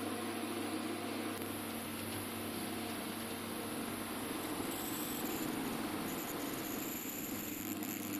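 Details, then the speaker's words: IKEA Tillreda portable induction cooktop at about 900 W while boiling water: steady loud whooshing cooling fan over a low hum, the fan having suddenly cranked up to high speed; possibly a second fan stage. "you can hear the fan still going that was like the fan just shot up and was Off to the Races"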